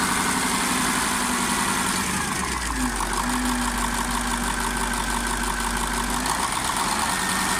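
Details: KamAZ 740.13 diesel after repair, now running in with an FM 740.30 piston set replacing the KMZ one. A steady, even idle with a smooth low drone and no knock: the engine sounds healthy.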